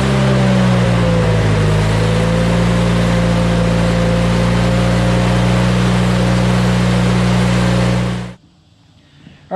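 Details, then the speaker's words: Hobart welder generator from a scrap yard, unused for many years, after replacing the clogged main jet plus idle jet and a new gasket: steady, even idle with a smooth low hum, no misses or knocks until shutdown; normal idle. "we're gonna do is fire this thing up and uh listen to it run i've never heard it idle up or idle down electronically"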